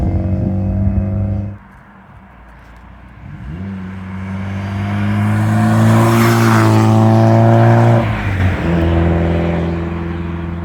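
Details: 1992 Saab 900 naturally aspirated 2.1 with new exhaust replacing leaking one; low steady idle, clean rev up and down, smooth even exhaust note with no rasp or rattle.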